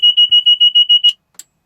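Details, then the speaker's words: Bell 407 turbine helicopter on battery cart power during pre-flight inspection: battery switch on, FADEC power-up self-test horn sounds (five horns or beeps, four audible), heard as quick high-pitched beeps, about six a second, cut off by horn mute button; normal. "we're going to mute the horns there's going to be a total of five horns or beeps um you're only going to hear four because the first beeps really quick"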